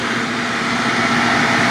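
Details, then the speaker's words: Nearly new roadside-found shop vac, probably brushed motor, lowest speed via a Hoover voltage regulator: smooth, even whir with a steady airy rush, about as loud as an upright, no squeal or rattle; normal running at low speed. "I mean you can hear it it is almost as loud as a regular upright if not a little bit louder maybe"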